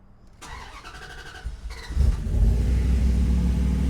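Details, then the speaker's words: Turbo Dakota V8 on a new Holley EFI, after fixing wiring: engine cranks, catches and settles into a steady even low rumble at idle with no skips, firing on all eight cylinders. "that sounds way better [Music] cool that makes me happy"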